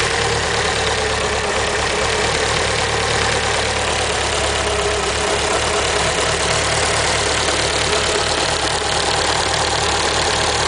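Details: Evo engine at idle: steady idle with a light, fast, regular valvetrain-like tick over the engine; owner suspects lifter tick, unconfirmed.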